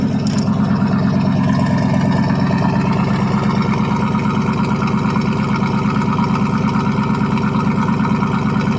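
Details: 1979 Chevrolet C10 Bonanza Big 10 pickup, 305 two-barrel V8 with glass pack and chrome tip, cold start after about a month sitting: deep, loud, even exhaust burble at steady idle, no stumbling; healthy.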